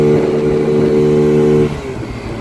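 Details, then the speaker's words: Chinese 50cc ScootSled scooter engine after CVT tuning to three 6.5 g variator rollers, riding; pulls hard as the power band kicks in. Strong steady note holding high revs before easing off; normal acceleration. "it's like it just kicked in and starts to pull really hard that is the power band coming on there we go this thing's a rocket ship now"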